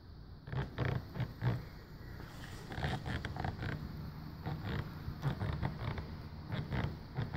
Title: Squeak - pre-fix